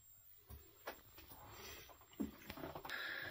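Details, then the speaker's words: Squealing from a Deye 12 kW hybrid inverter powering heat pumps in a 30 kWh LiFePO4 51.2V energy storage setup; thin, steady, very high whistle in a quiet room, quieter with the cover on but irritating; exact source not located. "it's quieter, but it 's terribly irritating, this sound I don't know what"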